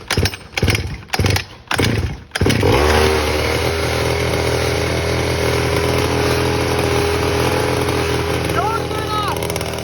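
A few sharp pull-start tugs, then the small engine catches and holds a steady, even high idle with no knocking or misfire.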